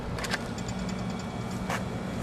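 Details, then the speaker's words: Air conditioner outdoor unit with 246 V present: a steady low hum with no spin-up as the compressor tries to start but stalls because its run (dual) capacitor is missing. "You might hear the compressor humming trying to start, but um without the capacitor, it's it's not going to be able to."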